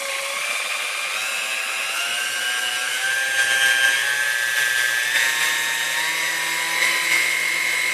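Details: Chrome Dormeyer 4300 Silver Chef mixer after service and maintenance: steady high motor whine with an even brush hiss and slight pitch settling, no knocks or grinding; motor healthy.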